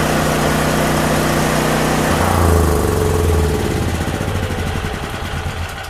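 Steady, even engine drone holding constant speed with no misses, knocks or surging; the generator is running smoothly.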